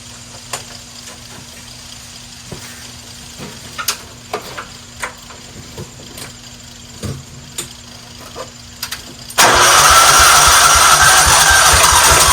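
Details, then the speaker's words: 1994 Cub Cadet HDS2135 riding mower, unused about 10 years, spark plug cleaned and refitted: clicking while cranking, then it suddenly catches and roars steadily for a few seconds on fuel primed into the cylinder. It runs briefly. "there we go so it runs I'm gonna feel a little bit better about spending some money let's try that again though I'd like to if we can get it to run a little bit longer"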